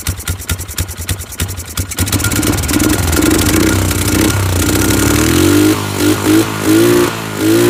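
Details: Polaris 500 HO single-cylinder ATV that came in as a no-start, with awful-smelling old fuel and mouse droppings: uneven thumping at first, then it catches and revs up and down cleanly; runs normally.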